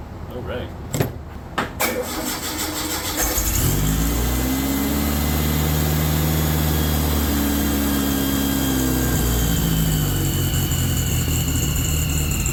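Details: Freshly rebuilt VW air-cooled 40HP engine, first start, replacement fuel pump fitted after old one leaked: cranks a couple of seconds, catches, then idle wavers and hunts; needs carburetor tuning, 20-minute cam break-in not yet possible.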